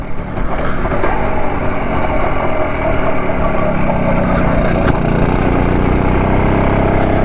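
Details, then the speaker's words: BSA D7 Bantam two-stroke being tuned and timed: it runs with a lumpy, uneven beat that settles a little but never smooths out. The owner thinks the timing is now better and suspects the carburettor still needs work; uneven running. "do you think there's still something I need to do with the uh the carburetor I think it I think it must be the corporate because I think from what I can hear the the time is now better than it was"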